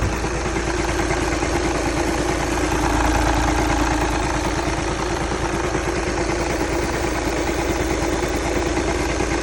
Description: Volkswagen Jetta TDI 2011 making this knocking sound,If anyone know what this sound is for kindly comment below and help me..Really appreciate that...